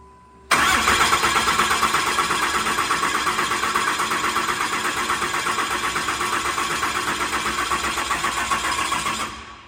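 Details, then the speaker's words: 2008 Cummins diesel with a fresh replacement engine after major failure, injectors unplugged, cranked to prime oil through the engine before first start: even starter cranking near three pulses a second, never firing; cranking without firing. "so we got the injectors unhooked and we are cycling the engine to get the oil pump to to move some oil through the engine before we hook the injectors up and start this thing"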